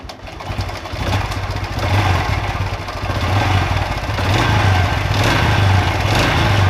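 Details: Honda Revo Absolute single before teardown: uneven idle with fast light clatter over low thump; cam chain rattle and piston knock, attributed to worn cam chain with missing tensioner roller and worn piston.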